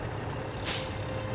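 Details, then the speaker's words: Road train truck on the corrugated Gibb River Road, Australian outback. A short, sharp air hiss rises over the truck's rumble as a trailer brake locks on and skids; that one brake appears to be the problem. "You can see the brakes locked on and skidding down the road. This brake here appears to be the problem."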